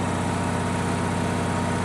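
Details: Onan generator after burnt points were cleaned and adjusted: steady, even single-cylinder putter with no misses or surges and constant pitch; normal idle.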